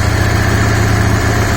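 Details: Yamaha Dragstar motorcycle being revived, just restarted after a fuel pump clean-out, tank not yet fitted: smooth, even low idle with a steady rumble and no misses or stumbles; normal idle.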